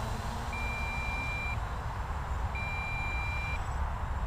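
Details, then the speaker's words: MJX Bugs 3 brushless toy quadcopter in flight: two long, steady high beeps from the transmitter about two seconds apart over the motor drone, with slight motor flutter. Transmitter low-battery warning. "oh there we go the transmitter is beeping"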